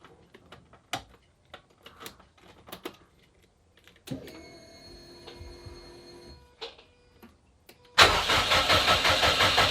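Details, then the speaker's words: Subaru Impreza after full rebuild, first start attempt after three years, battery connection doubtful: scattered clicks, then steady pulsing starter churn that never catches; crank no-start. "my heart is going crazy are we ready well it's not starting"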